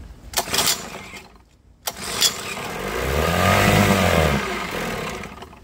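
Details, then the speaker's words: Mercury 7.5 hp two-stroke outboard (1974–84), unrun over a decade, plugs clean and dry: a couple of pulls, fires on starting fluid, buzzes about two seconds and dies; fuel supply fault, dripping fuel, needs rebuild. "okay so we know for a fact just like with lawn mowers we have a fuel issue with this thing dripping fuel"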